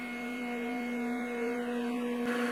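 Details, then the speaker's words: Emco V13 lathe turning 1-inch stock toward about 0.704 in for a cupping punch, 0.100 in cut; ringing hum with high wavering squeal over spindle drone, finish unaffected; tool chatter, suspected unnecessarily heavy cut. "can hear there is some chatter there, but doesn't seem to affect the surface finish, which is interesting. Nevertheless, probably an unnecessarily heavy cut."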